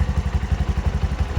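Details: Bajaj BS6 single-cylinder motorcycle, low mileage, after crankshaft bearing repair (two bearings pressed, shields, plug, steel facing plate, gasket and oil seal kits, oil and filter; timing chain reused): even thumping idle about six beats a second, no knock or rattle; healthy.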